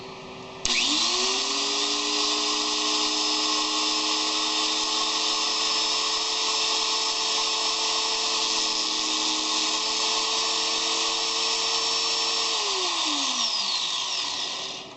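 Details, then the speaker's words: Rebuilt 4 1/2" angle grinder, second try with best remaining brushes and a replaced part: clean steady high whine from spin-up to coast-down, no rumble or rattle; runs well. "okay it seems to be doing well but it's I thought it was doing well last time"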